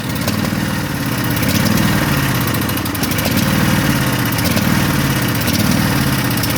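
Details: Craftsman mower engine on choke with a fuel leak suspected from the carburetor: an uneven, lumpy putter surging and sagging every second, still running on one cylinder.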